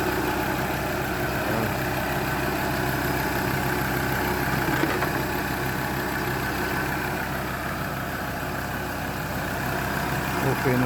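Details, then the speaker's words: Mazda BT-50 diesel running after repair of a no-crank, no-start wiring problem, charging at 14 V. Steady, even diesel clatter with a smooth hum and no knocks or stumbles; normal idle, no delayed reaction. "yung kanyang andar. Walang problema. No direaction."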